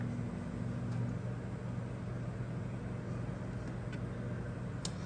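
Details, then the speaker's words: Rheem generation five hybrid heat pump water heater, discharge 115°F, suction 86°F: compressor comes on, then steady even low hum, no knocks, rattles or squeals; compressor and fan running smoothly. "and wait a minute for that pump compressor to come on and it's running now you can hear it come on"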